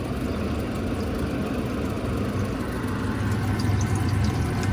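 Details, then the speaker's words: Small Manitowoc ice maker in a chilly room with fan cycling: steady low hum with even fan whoosh, no rattles or knocks; running normally. "the fan cycling's going like I said it's not super hot in here"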